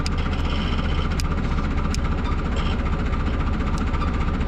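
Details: Tofaş Doğan that ran on petrol but not LPG, after work on an oxidized connector sealed with heat-shrink: steady low idle with a mild even pulse, no misfire or hunting; runs smoothly.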